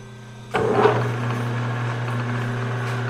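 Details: Homemade hobbing spindle, big bevel gears powered up: the drive spins up to a steady whir; the gear spacing is increased by 10 thou (2.422) and sounds slightly better; normal mesh.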